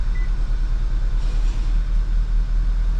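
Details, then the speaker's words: 2011 VW GTI towed in running badly and smelling of fuel, with a flashing check-engine light: a low, lumpy petrol idle with an uneven beat; misfire counts point to cylinder one, and a bad injector is suspected but not confirmed. "Alright, so let's just start it and see where it's misfiring. If it's all of them, then I'm thinking that it's going to be a new fuel pump. But if it's just one of them, then oh, it's all in cylinder one. This thing's going to need an injector."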